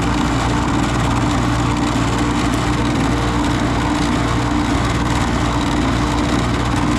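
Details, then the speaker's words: Carrier GasPack that wasn't heating, after motor replacement: steady low hum with constant tone and even airflow rush, no squeal, rattle or surging; motor runs smooth. "That sounded lovely."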